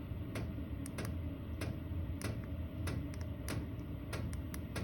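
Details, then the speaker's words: Chinese diesel air heater in a snowmobile trailer, in automatic mode with a set temperature: a steady low fan roar with the fuel pump ticking about twice a second as it throttles up; normal running. "It automatically throttles up until it reaches that temperature. Then it throttles itself back down, and it just runs at a really, really low speed."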